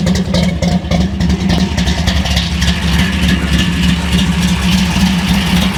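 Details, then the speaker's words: Hot rod V8 with fresh spark plugs, cold, just started: deep steady burble with an even lumpy beat, no knocks or misses; healthy idle. "thing sounds so good. All right, we'll let it warm up a little bit."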